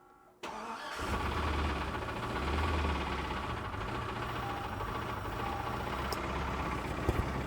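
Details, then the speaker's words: Suburban that got rain water in the intake, run after water was cleared from the cylinders: it cranks, catches, then runs loud and lumpy. Engine suspected to be toast after hydrolock, not confirmed. "I think she's honestly probably toast man I wouldn't get your hopes up"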